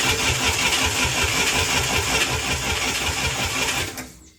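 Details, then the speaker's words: International Scout 800A engine, revived after years parked in a barn: steady starter cranking on cylinder one compression test, even compression pulses, about 94 psi reading; normal cranking. "let's do this compression test for cylinder number one here going to crank it I'm going to count to five and we'll stop there and see what we got"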